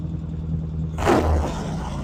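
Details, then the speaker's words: 1975 Norton twin after fixing undersized throttle cables holding carburettor slides up: slow, even idle thump around 800–900 rpm with a brief blip, running steadily, though smoke is visible; normal idle. "That's a nice 800, 900 RPM right there."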